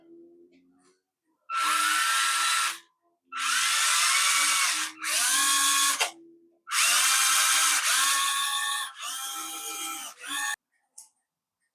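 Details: Devils Monster RC rock crawler just after a new ESC was fitted with the on-off switch wired in: short throttle bursts of high motor whine rise and fall smoothly with no stutter or grind. Motor and new controller working normally.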